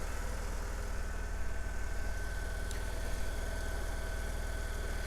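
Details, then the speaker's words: Saturn S-Series petrol engine idling on a very cold January morning with an uneven, lumpy pulse and the motor rocking; check engine light, P0340 code, unburnt fuel smell, running on two cylinders, a misfire. "it is running rough you can kind of and kind of see the motor rocking back and forth"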